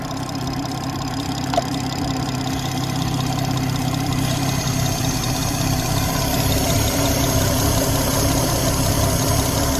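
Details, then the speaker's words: BMW 440i B58 Gen 1 at idle after replacing PCV diaphragm/valve cover: steady hum with an even airy hiss at the oil filler, louder than before replacement, showing real crankcase vacuum and no leaks; normal. "The hissing sound is a good indication being able to tell whether your PCB is good or bad. Before we changed the PCV, [music] the hissing was much quieter as compared to now when we changed the PCV. That means there's a real vacuum and there's real suction happening in that crank [music] case."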